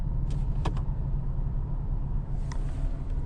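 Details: Porsche 987.2 Cayman S, warm, running in neutral on the ramp: even, steady low rumble with no stumble, miss or shake after restart; its intermittent misfire and limp mode occur only around 2900–3000 rpm. Normal running.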